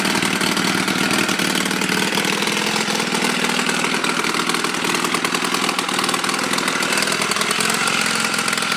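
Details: Motorcycle with a Chinese clone of the Honda Rebel 250 engine (250cc), after wiring repairs: loud, raspy running with sharp rapid puffing ticks over the exhaust note from known exhaust leaks.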